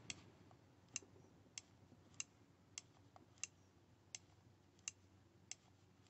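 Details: Masterclip Hunter horse clipper after reseating a displaced PCB that stopped the switch from working: crisp, sharp clicks about every 0.6 seconds as the switch makes clean contact, so it now sounds like it works.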